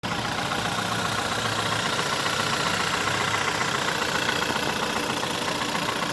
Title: VW 1.4 TSI 2009 CAVD - engine loud knocking clicking noise on idle and low revs